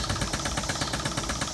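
Rapid, even clatter of about ten beats a second that stays smooth and regular; the machine runs freely with no binding.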